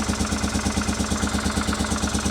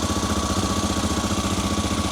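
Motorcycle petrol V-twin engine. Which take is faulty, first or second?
first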